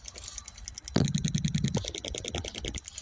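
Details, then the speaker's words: Ford Transit MK8 2.2 RWD diesel during DPF cleaning for faults P246C and P24A4, engine off: quick, steady electric ticking, about three a second, as the vaporizer fuel pump pulses, priming and injecting fuel normally. "So with the engine off, if we listen to the vaporizer fuel pump here, should be able to hear it ticking. And you can feel it pulsing."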